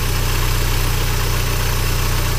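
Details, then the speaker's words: VW Golf Mk3.5 convertible ABF 16V engine at idle: smooth, even hum with steady low beat, no hunting or surging; healthy settled engine. "one's got a really smooth idle."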